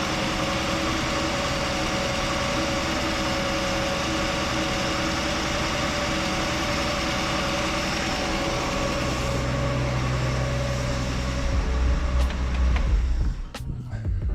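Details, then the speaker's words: Chevy Nova straight-six, legit cold start the day after cleaning and resealing the valve cover; steady, even idle with smooth low thrum, no ticking or knocking, running healthy. "Sounds great. Sounds great. Now I feel better about moving forward."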